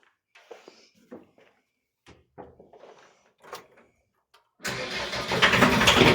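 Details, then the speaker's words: 1986 VW T25, 1.6 JX turbo diesel, stored since 2017: first start after priming the pump via the inlet banjo, outlet and injector lines. Scattered clicks, then it catches into a loud, uneven clatter, running lumpy. "Lumpy, but running. She's running. Woohoo! It ain't that quiet, is it?"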